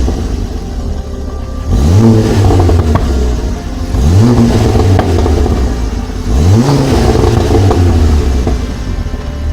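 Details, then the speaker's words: Ford Focus ST Mk2 225 with newly fitted RS Mk2 2.5 spark plugs, heard from the rear: three rev blips over a rough, uneven exhaust with occasional pops; misfire, owner suspects one plug gap is too close. "I had a bit of misfire I think one of the spark plug gaps are a bit too close together"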